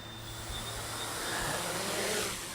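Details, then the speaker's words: 550 hexacopter on a Naza V2 with GPS lock: the motors whine unevenly over rushing air with pitch wandering. There is little throttle response even at full throttle, and it won't climb or run smoothly. The owner suspects the gyros work but is unsure of the cause. "i just don't get much throttle response out of it it just doesn't want to go up it doesn't want to do anything smoothly"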